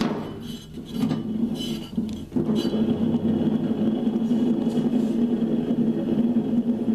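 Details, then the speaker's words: Neglected riding mower's mower-deck spindle, hand-spun, coasts with a rough, gritty rumble instead of a smooth whir; both deck spindles make the same noise, pointing to worn, dry spindle bearings. "Spins good, but it just sounds rough and gritty."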